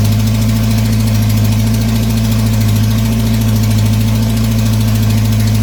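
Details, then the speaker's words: GM 2.2 engine just after rebuild: loud, steady high-speed drone not returning to idle; throttle stuck wide open because throttle cable fell off. Vacuum leak at EGR tube gasket later found, needing an o-ring. "something wrong with the throttle throttle stuck full down pedal in there stuck all the way down"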